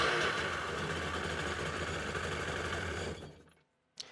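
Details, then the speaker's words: 2003 Sea-Doo GTI RFI two-stroke, rear cylinder plug wire disconnected and grounded, spark present: rough, uneven drone for three seconds then dies; unchanged with plug off, one cylinder dead. "And this thing sounds exactly the same whether I got the spark plug disconnected or not."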